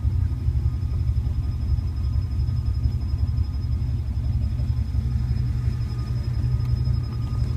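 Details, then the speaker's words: 1981 Turbo Trans Am V8, hot after a drive, idling in gear: a deep, lumpy idle with an uneven low throb and a faint steady whistle. The rough idle shakes the mirror and the whole car. "So that's it running after it's been warmed up. Usually I can look at this mirror and you can see the mirror shaking. It's the whole car is shaking."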